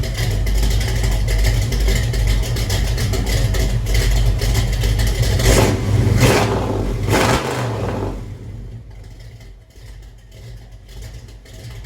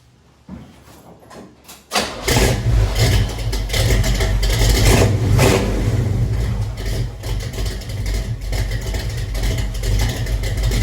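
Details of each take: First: Chevelle V8 with true dual exhaust and no crossover pipe: a deep rumble climbs with a harsh, raspy crackle as it revs, then settles to a lumpy idle. The owner suspects the missing crossover; it may still be too loud for registration. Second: Chevelle V8 with true dual exhaust and no crossover: quick crank, catches at once, blips, then deep steady lopey burble at idle; owner dislikes a weird sound above 2000-2500 rpm he blames on missing crossover; normal start and idle.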